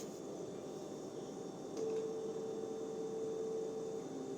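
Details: Whirlpool fridge with bottom freezer drawers: steady mid-pitched hum around 620 Hz and 800 Hz, seemingly from the freezer drawer area, clearer tone joining partway; grandpa suspects humidifier fan, cause unknown.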